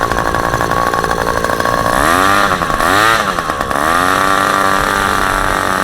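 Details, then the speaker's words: Super Tigre G90 glow engine on a test stand, third run, about 10% fuel, supplied Super Tigre plug, APC 14x6 prop; high buzzy note holding steady with brief rises and dips in revs, clean and even; runs extremely well, normal running. "that is not the case obviously as you can see this engine runs extremely well and I'm very impressed with it"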